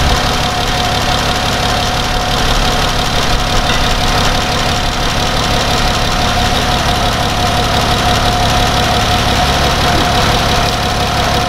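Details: Dodge Grand Caravan 3.6 V6 idling while warming up during a coolant change and air bleed, cooling system open, before the thermostat opens: steady, even idle with a faint constant whine over a smooth hum, no knocks or misses; normal idle.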